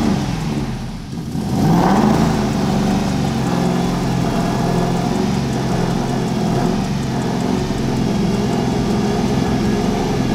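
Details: Aston Martin V8 Vantage that crashed into a store, running for the first time after a year of work: the engine fires and settles into a smooth, even run with steady revs and no knocks or misses; normal running.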